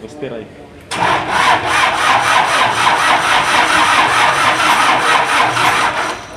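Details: Isuzu diesel generator engine with a hard-starting problem: the starter turns it over in an even rasping rhythm, a little over two pulses a second, for several seconds without firing; slow, long cranking.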